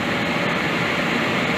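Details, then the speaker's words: Home furnace blower on continuous fan after rewiring, no heat: steady, even airflow rush with smooth hum, no surging or dropouts; blower motor running normally. "well that's a good sign blower actually works I can hear it like Revan t"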